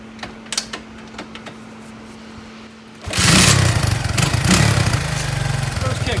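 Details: Honda ATC 200x single-cylinder, kick-started on a temporary fuel tank after carburetor tuning, hot Phoenix weather; quiet ticking, then it fires and settles into a steady even idle with no misses. Normal idle.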